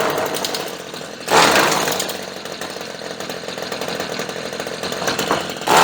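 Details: Redmax weed eater that wouldn't start, now running after fuel sprayed into carburetor and choke checked working; small two-stroke buzzes steadily, picks up cleanly on two short throttle blips and settles back; normal running.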